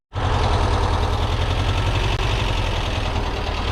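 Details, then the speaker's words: Porsche 914 flat-four with carburetors, first start: it catches at once and settles into a lumpy, thumping idle, running on three cylinders because a spark plug lead came off. "That three was three cylinders. That was 3 cylinders? Yeah, the it one came the out. spark plug."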